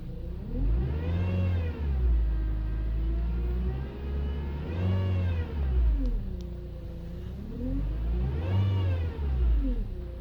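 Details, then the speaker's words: 2011 Honda Accord whining when turning and driving: a wavering whine over the engine rises and falls as the steering is worked, from a leaking power steering inlet hose O-ring with low fluid letting air into the pump; fix is replacing the O-ring and purging air. "this is the sound your car makes when you have a bad odor ring for the power steering and lit hose"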